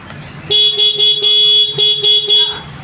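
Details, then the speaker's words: Honda Activa 6G BS6 scooter with self-start failure, battery at 13 V: several short clean horn blasts; horn works normally. "Horn அடிச்சு பார்த்தா ஹாரனும் கரெக்டா இருக்கு"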